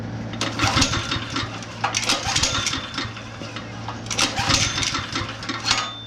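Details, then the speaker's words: Honda GX160 5.5HP on long-unused concrete power trowel, oil sensor disconnected (has oil): quick pull-cord cranks whir and fade with no firing; cranks but no start, spark check next. "still no good so now we're gonna check for spark"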